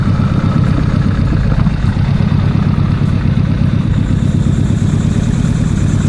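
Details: Nissan Pulsar GTiR first start in seven years during rebuild, new belts fitted: low idle with slightly uneven, hunting beat and light clatter; no tapping, but runs lumpy.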